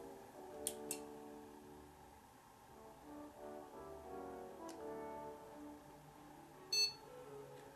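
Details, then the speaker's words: Old refurbished desktop PC gives one short, high POST beep over music after the hard drive is connected, then boots Windows normally, showing drive, memory and CPU working. "beep that's good so they start Windows normally the window comes up so we know that hard drive is working fine"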